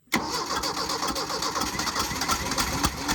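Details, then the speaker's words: Mercury Capri Turbo RS, turbo four-cylinder with 4-speed, first start attempt after 23 years sitting, carburetor dumping fuel, pedal held to floor as probably flooded: starter churns with uneven catches and stumbling firings, never reaching steady idle. "So you really don't even have to pump the pedal now. It's probably flooded. Hold her to the floor."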